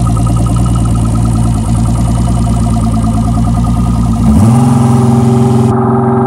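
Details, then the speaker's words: Boat outboard, described as turnkey, throttle applied: steady buzzy drone rising cleanly in pitch as throttle comes up, no knocks or misses; sounds very good, normal running. "sounds very good all right that's good"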